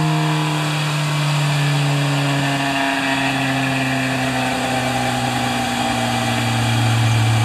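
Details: Kawasaki Z1000J four-cylinder in mid break-in after an engine overhaul: smooth, even hum holding a steady pitch with a gentle dip and recovery, well balanced; normal running.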